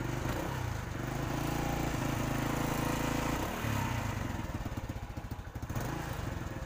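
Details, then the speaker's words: Motorcycle single-cylinder engine after a dead spark plug was revived at the roadside and refitted. It fires up and keeps a steady low thump of about three and a half beats a second with no misses. The plug sparks again, though its durability is not guaranteed. "Oke bro, dan motornya atau businya kembali bisa hidup, bisa berfungsi ya."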